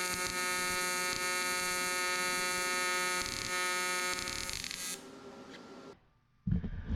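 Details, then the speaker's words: AC TIG welding aluminium on a 40hp Honda outboard lower unit during skeg repair: an erratic, crackling wandering arc instead of a steady buzz. The planned fix is regrinding the tungsten and checking for a good ground. "it should sound more consistent buzzing but you can hear that crackling of uh of a Wandering Arc so"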